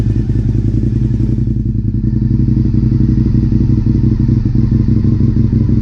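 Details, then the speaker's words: Honda RC51 V-twin after rear cylinder reassembly (threadsert for spark plug), cold, no coolant, unstarted almost a year: lumpy idle with sharper exhaust pops; unclear whether from tight valves or long storage; exhaust popping. "sounds good sounds like it's popping a little bit like of course it's been almost a year but it could just be that but it almost sounds like she's popping like harder than it could be"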